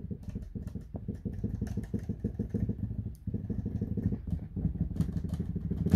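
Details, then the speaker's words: Numa X Piano Fatar TP110 keybed: rapid hollow plastic clacking as a key is tapped, rattle from plastic-on-plastic contact because hinge grease has been displaced to the sides; not a real fault. "that rattling noise is just because the grease they use to prevent the plastic to plastic contact starts to fade out from a hinge mechanism that is giving that sturdiness and that really premium feeling to this Keybed."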